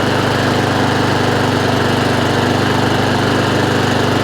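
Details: Honda IZY lawnmower after carburetor work, revs raised slightly via the governor arm: even, steady single-cylinder putter with no surging or hunting, holding speed without cutting out.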